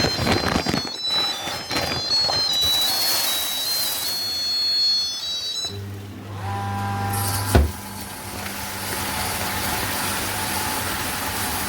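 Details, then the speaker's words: Home flour mill (gharghanti) set for bhakri grinding, grinding 3 kg jowar with rice mixed in, lid closed. After start-up, a steady low motor hum with an even grinding rush and no knocks or rattles continues throughout grinding: normal running. "आणि हा आवाज येतोय थोडा थोडा तुम्हाला तसाच आवाज continuously दळण होत असताना येतो"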